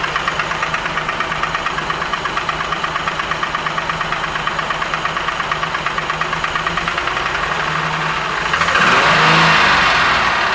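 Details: Crest III pontoon boat outboard at intake: steady, even knock about three per second over the running engine, internal knocking of unknown cause.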